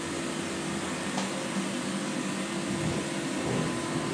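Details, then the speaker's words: 1994 Guillot Optimagaz Type 291 floor-standing boiler, 287 kW, atmospheric natural-gas burner, restarting with both heating circuits on demand for combustion test: steady airy roar with faint constant hum, no knocking, rattling or surging; burning normally. "On entend le bruit de l'Optimagaz."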